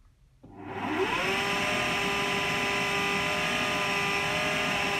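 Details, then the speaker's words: AEG Lavatherm 56800 dryer on intensive dry, after PCB relay swap to fix motor turning only one direction: motor whirs up and settles into steady even hum, no grinding or knocking; test load runs fine. "it's done a test load it's not much more to do other than that seems to be working fine"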